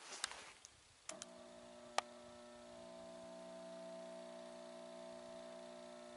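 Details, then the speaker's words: Mercury vapor yard light ballast after a capacitor replacement, bulb in, drawing 2.14 A, 67 W: steady loud buzzing hum after clicks; vibration makes the bulb jingle. A dancing arc problem persists; bulb is blamed. "our light still vibrates a lot so much it even makes the bulb kind of jingle that's not very satisfactory"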